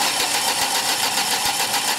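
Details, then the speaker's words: 2003 Ford Escort ZX2 2.0 no-start, cranking with a spark plug removed held at an air gap to check spark; steady even starter cranking, engine never catches, no spark, crank sensor being tested. "okay good all right as you can see no spark"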